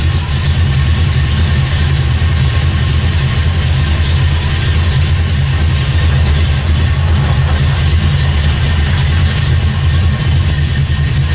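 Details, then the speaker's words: 1979 AMC Spirit AMX, AMC 304 V8 rebuilt about 20,000 miles ago, carbureted, after a no-spark fault (coil wire off) was fixed during a Carb Cheater install: steady, even idle with a deep, smooth rumble, no misses or knocks; running fine. "it's running idling all right"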